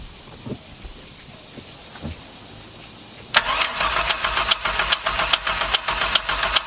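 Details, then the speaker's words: 1996 Chevy truck V6 in Mercruiser ski boat, first start after swapping boat cylinder heads, cam and timing chain; steady cranking about 2.5 beats a second with sharp metallic clicking, owner suspects starter hanging up, maybe water pump. Clicking while cranking. "Still curious about that noise though. Could it be the water pump? Kind of sounds like the starter, like the. I know the flywheel's got a good tooth on it, but it sounds like the starter, the V.6 is trying to hang up."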